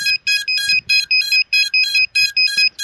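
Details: Loud, shrill beep bursts repeating about three per second in an even pattern: FPV quadcopter lost-model beacon buzzer sounding to locate a crashed drone.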